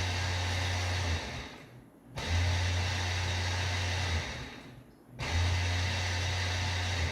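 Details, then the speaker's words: 2000 GMC Sierra K-Series 4WD 5.3, parked with the brake held during a scanner automated ABS bleed. A low electric-motor hum from under the truck runs about two seconds, pauses, then restarts; the pump runs but did not help bleed the brakes. "hold the brake, and you hear the pump underneath the truck running."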